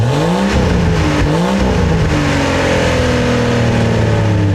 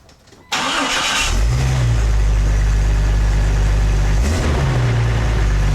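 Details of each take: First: 1999 Jeep Cherokee XJ revved with the old cat-back exhaust removed, open after the catalytic converter: very loud raw unmuffled blat climbing and falling with each rev; open exhaust. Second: 1999 Jeep Cherokee XJ after new stainless-steel cat-back exhaust installed: engine fires into a deep, even burble with two clean smooth revs, nothing rattling; healthy exhaust, a bit quieter than the previous welded muffler.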